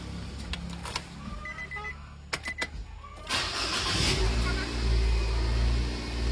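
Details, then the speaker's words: Nissan Grand Livina after fixing DTC P2138 by cleaning and shimming the accelerator pedal position sensor connection: light clicks, engine catches about three seconds in and settles to a steady even idle; no check engine light, fault attributed to the pedal sensor. "Alhamdulillah ini tidak muncul engine check, berarti fix, beres. Kendalanya dari pedal sensor tersebut."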